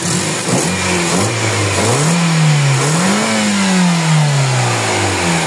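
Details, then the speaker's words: Toyota Corolla GLi after new overhaul with misfire and low power: clean even revs rising and falling smoothly with throttle, no stumble or popping, no more misfire. "Wala ng kamispire miss fire."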